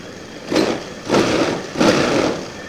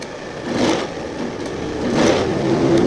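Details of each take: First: Old Honda Scoopy FI scooter after throttle body and injector service and idle adjustment, no sensor errors on MIL check: three quick throttle blips rising crisply and dropping back to a settled idle; pulls light and clean, normal running. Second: Old Honda Scoopy FI scooter, fuel pressure about 21 PSI after three key-ons: engine tries to pick up on throttle but stumbles, sags and won't rev, bogging and dying under throttle.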